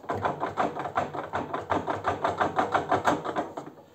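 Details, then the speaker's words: Arçelik washing machine drum rocked by hand produces quick, even clicking knocks about three a second, from worn shock absorbers; the noise also occurs when washing with laundry inside. "şu şekilde kazanı sallıyoruz ve sesi duyuyorsunuz bakın tıkır tıkır Gelen sesi Duydunuz arkadaşlar"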